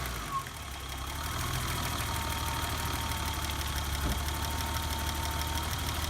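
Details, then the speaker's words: BMW E30 high-mileage M20 petrol six at idle after valve adjustment, new valve cover gasket and rocker shaft plugs: light, fast ticking still heard over the engine hum; owner notes ticking is common on these engines and adjustment may need redoing. "can definitely still hear that ticking noise but here's what I've learned through these process so far ticking noise is not uncommon on this m20 engines especially high mileage ones"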